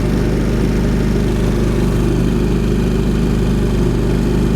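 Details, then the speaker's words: Champion 3500 W dual fuel inverter generator powering a travel trailer, with only the 15,000 BTU AC fan running after the compressor kicked off (3.7 A): a smooth, even low drone at constant speed with no surging or knocking. Normal light-load running. "okay now we kicked off but we still have the fan running and you know that because we're pulling 3.7 amps"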